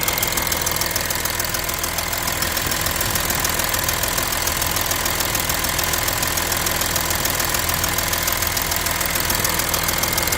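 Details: Audi A6 3.0 TDI diesel idling with a loud, steady metallic ticking on the passenger side of the engine; cause still unknown.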